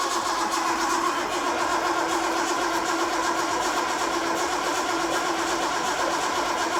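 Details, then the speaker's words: Home-built Datsun 240Z on carburettors, first start attempt with fuel pump not working (relying on float bowl fuel): steady rhythmic starter whirring, engine turning over evenly but never catching; no spark, ignition coil left disconnected. "oh wait a minute didn't connect up the the coil again coils now connected again let's see that was no spark"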